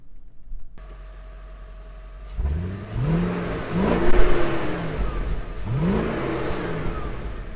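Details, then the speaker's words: 2002 Audi A8 D2 V8 after the shop fixed its stolen bank 1 catalytic converter, heard while driving. Smooth, subdued engine note rising and falling through revs, no rasp or rattles; exhaust now quiet and normal. "all right so just got the keys back and he made it work so let's see oh my goodness way more quiet [Music] thing is silent now"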